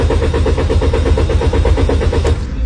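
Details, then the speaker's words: Car that won't start despite a replaced throttle valve and checked spark plugs, ignition coils and fuel lines: steady starter churning at about eight pulses a second with no firing. Cranks but won't start, cause not yet found. "did you see it this car won't start no matter what do you know why"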